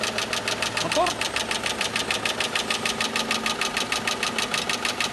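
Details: Renault Megane 2, cold idle, worn shafts and scored crankshaft bearings found on teardown: steady sharp knock about three times a second; NIOIL anti-wear restoring additive just added.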